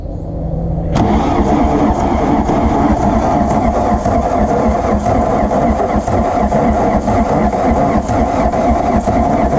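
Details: Diesel VW Rabbit truck sitting about 17 years, fuel pumps just primed. Long, uneven starter churning at roughly four turns a second with no catch yet: prolonged cranking without starting.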